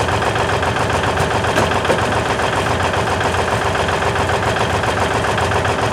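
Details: 1956 Lincoln Y-block V8, ex-tower engine, run inside a warm shop after choking: steady, even idle with a smooth low pulse and no knocks or misses after a cold start; engine running healthy.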